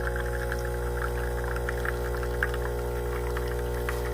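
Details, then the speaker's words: DeLonghi ECP3420 espresso machine, about a week old, switched on to pull a shot through tamped coffee: steady even pump buzz with a faint trickle of liquid, no surging or rattling; normal pump operation. "Okay, now we're ready. Flick it on. Now look how that flows so nice and smoothly."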